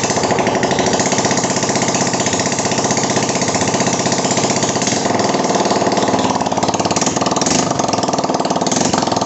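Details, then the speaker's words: Fuel-injected motorcycle run briefly without exhaust after spraying Rexco 81 into the combustion chamber and refitting the cleaned spark plug: very loud, raw, crackling unmuffled bark at fast uneven beat, burning off solvent with strong smell. "Oke, kita hidupkan pelan-pelan, nanti bakalan kencang suaranya."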